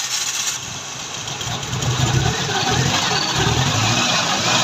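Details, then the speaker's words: 16-valve engine with a starting problem, started after timing marks were realigned and front belt refitted: catches cleanly and settles to a steady idle with light throttle blips, no knocks or misses; healthy running. "ये गाड़ी अब हमारी स्टार्ट हो गई है।"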